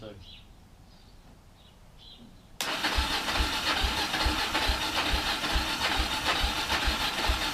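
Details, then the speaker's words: Kawasaki KLF300 Bayou quad from a scrap yard, first start attempt with good spark and fuel poured into the cylinder: quiet, then the single-cylinder catches and runs rough with uneven popping on primed fuel only. Cause suspected, not confirmed. "so just chucked a bit of fuel down the jack will need the cylinder the little fire erupts"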